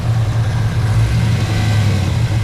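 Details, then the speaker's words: 2011 Chevrolet Camaro SS, LS3 V8, 6-speed, with intake, long-tube headers, no cats, muffler delete and dyno tune (420 rwhp). Deep, loud burble with light throttle blips, no exhaust leaks; healthy, free revving. "so this is what it sounds like like I said I have no exhaust leaks make sure everything was snug snug tight"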